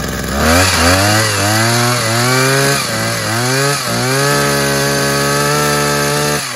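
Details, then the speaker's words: Tanaka hedge trimmer, two-stroke, after a gearbox repair for blades that would not rotate, started on choke with the throttle locked: revs up and down cleanly with a steady buzz, no grinding or slipping, blades now turning; normal running. "i'll just start off and show you the blades rotating because it's all it's all good now"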